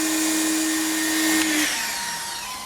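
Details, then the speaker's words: Slim Greenworks electric pressure washer without hose reel: steady motor whine cuts off abruptly and winds down with a harsh clatter that sounds like breaking; normal auto-stop shutdown. "that turn off just cracks me up it's so fun so i don't know what's so funny to me just sounds like it's breaking"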